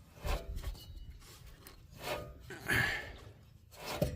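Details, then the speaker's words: 2015 Chrysler Town & Country rear hub spun by hand on the lifted car: rough, raspy rub swelling and fading with each spin; the bearing has no play but is dry and noisy, so the rear hubs will be replaced. "I know the sound. I know they were bad. Just the bearings are not loose. But they are dry and noisy."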